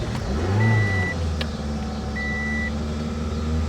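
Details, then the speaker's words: 1985 Honda Accord 1800, about 62K miles, long unused, first start on fresh fuel: low uneven engine note lurching and stumbling with chime beeps; running rough, old bad fuel still in the system. "yeah she's not happy she's got some garbage for gas in her"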